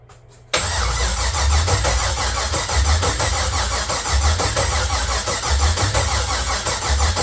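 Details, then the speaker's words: LQ9 V8 swapped into a BMW E36, first crank after six months, in neutral, fuel pump not connected and MAP sensor missing: starter turns the engine over at a steady, even beat with no firing. "okay um it cranks over so that's good uh obviously I don't have the fuel pump hooked up"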